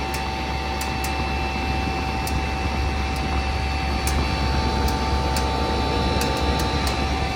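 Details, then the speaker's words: Lasko side discharge 300 series heat pump running in heat mode; steady fan and compressor hum with faint hiss and ice crackling as coils freeze up. "It's actually pretty frozen. Might get even more frozen. I don't know. But down there, it's really frozen."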